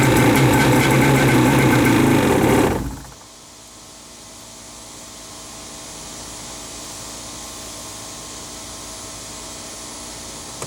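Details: Wave Raider personal watercraft after new spark plugs, with clean-looking carburetors and fuel lines, filter and check valve being checked: on starting fluid it catches and runs rough under three seconds, then cuts out; it won't run or idle on its own.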